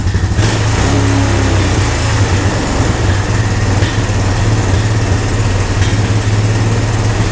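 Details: Honda ATV found at a yard sale, brought home and revived with no parts after checking spark and compression and adding fuel: steady, even single-cylinder thrum with a lively low beat, no knocks or misses; running clean and healthy.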